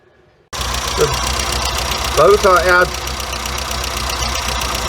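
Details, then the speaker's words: Weber 38 DGAS carburettor, warm engine: idle uneven with slight stumbling and occasional jerks from too-lean mixture screws; a quarter turn richer on each screw smooths it. "you can see the motor is jerking a little bit he's struggling a little bit so I'm gonna give each one a quarter turn extra already"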